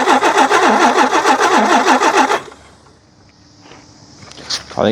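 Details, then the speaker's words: Long-sitting Nissan Patrol G60 (J60) lawn ornament on choke: uneven chugging for a couple of seconds, then dies without holding idle; owner judges the carburettor cooked and needing a rebuild kit or cleaning; stuck float and needle. "carby's cooked, so we're going to have to get on the hunt for a rebuild kit"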